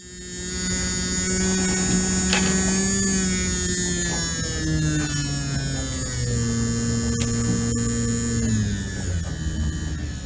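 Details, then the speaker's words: JVC Victor XU-D400 Mk II MiniDisc deck spindle motor revived on bench supply, voltage lowered from 6.5 to 3 V; thin motor whine sagging as it slows with a gritty rasp underneath; dry spindle motor bearing needing lubrication. "we're going to try to uh find some way to lube that up and then I will power it back up and we'll try and uh get her running again"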